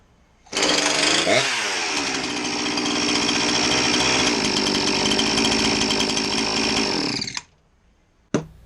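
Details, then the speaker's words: Husqvarna 346XP chainsaw with high idle; carb cleaner sprayed around intake makes revs swoop up, showing an air leak near intake boot or base gasket; boot looked fine, cylinder base bolts found with no tightness. "and you can see we obviously got a leak somewhere around the intake boot maybe the base gasket"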